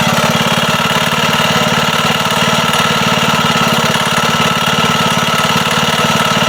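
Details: Wisconsin single-cylinder engine that sat a long time, chugging with an even knock on every beat; rod knock, likely from play in the rod at the crank; also leaks oil and fuel badly.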